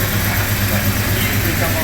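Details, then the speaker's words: 1996 Jeep Cherokee after new timing chain, harmonic balancer and distributor turned 180 degrees: steady, even idle with a regular low beat, no stumble, misfire or heavy vibration. "I have no idea but we were about to find out and Hey look it's not vibrating like crazy"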